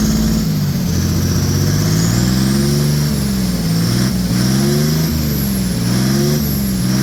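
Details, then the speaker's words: OM603 Mercedes diesel in a Ford Ranger (Doomsday Diesel adapter, Ford ZF5), first start, revved after a brief warm-up with good oil pressure: revs rise and fall cleanly and evenly, no knocks or misses; normal revving. "see what it sounds like we can give her some revs I'll let it warm up for a couple more seconds here and then we'll rev It Up"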